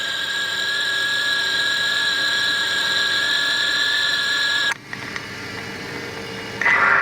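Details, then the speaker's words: 1993 Chevy Lumina APV idling after replacing the belt and tensioner pulley: steady high whine over idle, dropping out briefly then returning; accessory noise barely changed, cause unclear; old pulley was leaking grease and loose. "So listening to them in the same order, it actually didn't change a whole lot"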